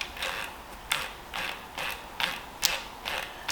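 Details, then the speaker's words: Trek bike with Bontrager freehub, after work on grumbling freehub whose pawls had lost their spring: crisp, light pawl clicks in steady coasting rhythm, about two per second, no grumble or grinding; freehub now sounds healthy. "Oh, that's butter. You won't appreciate how good that feels. I really hate, I've got this thing about noisy Freehubs."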